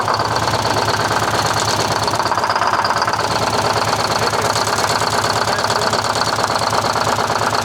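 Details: 1970 Peterbilt 341 with a blown Detroit 6V71 diesel: loud rough idle with a hard steady knock about three times a second over the clatter, and smoke that shouldn't be there; cause suspected, not confirmed; engine knock, rough running.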